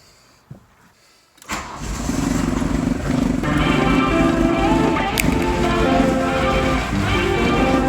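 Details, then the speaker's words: VW Rabbit Mk1 diesel cold start after sitting about a year, with glow plugs warmed, a new air filter and a charged battery. The starter churns briefly, then it catches into a steady, even clatter and runs well. It has a known oil leak. "But she starts. And once she runs up, she runs pretty well. She runs pretty well, honestly, for how long it's been sitting."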